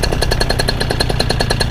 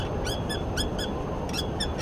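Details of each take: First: Two-stroke paramotor engine during a preflight ground run, fuel filter primed via primer ball: loud, even buzzing with a steady pulse of about eight beats a second and no misses or surging; running cleanly and good to go. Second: Paramotor pre-flight check: muffler struck by hand gives banging, clanging metallic rattle from loose exhaust bolts that should be torqued down.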